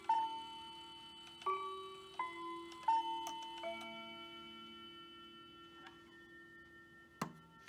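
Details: Hamilton bracket mantel clock from an estate sale; the movement doesn't run but the chimes work. Quarter-past chime is clear ringing notes struck one after another in a quiet room, each decaying cleanly, a normal chime.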